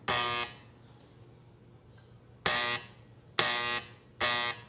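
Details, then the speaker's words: Doorbell chime gives four short harsh electric buzzes, one per button press, with no ding-dong because the low-voltage chime's plunger is seized and can't move up and down. "so mine was making a buzzing sound so when you hit the door better like let me see if I can show you guys what it's doing"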